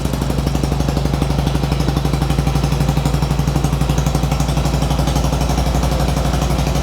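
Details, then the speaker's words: 1995 Harley-Davidson Sportster warming up with some choke on: fast even thumping, about four beats a second; both cylinders now firing but idle is high, carburetor clean suspected needed. "we get let it warm up so a little bit of the choke in so it sounds like it's a high idle right now but needs a carb clean next but both are running so we are good there"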